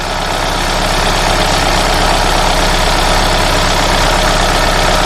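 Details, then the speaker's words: Hyundai Sonata with codes P0011 and P2006, after intake manifold replacement for an intake runner flap code, VVT solenoid not yet replaced: even idle hum under a steady hiss, no knock or misfire; sounds healthy. "So right there, as you can hear, the engine is running. The engine sounds good."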